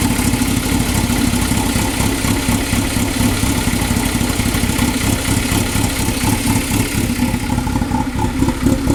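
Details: 2000 Toyota MR2 Spyder, engine replaced under 90 days ago, water pump and all three O2 sensors since replaced: choppy uneven idle with irregular pulse about two beats a second; running rough, cause unknown.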